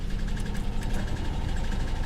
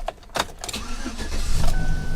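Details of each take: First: V6 car found at auction after 10 years, at idle: rough low idle with quick light tapping and uneven beat; owner first suspects lifter tap, then piston slap or rod knock, and feels a misfire. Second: V6 car with 163,000 miles, salvage-auction vehicle: short crank, quick catch, then a settled, even idle with a faint steady belt tone; starts and runs normally.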